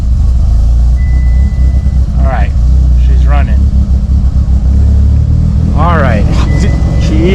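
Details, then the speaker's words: Mitsubishi Evo with newly installed used engine, first start after needing full throttle for a couple seconds: deep, steady low idle with no ticking or knocking, 80 psi oil pressure, no leaks; healthy. "running yeah that was weird it took full throttle for a couple seconds and she fired up sounds healthy sounds really really healthy"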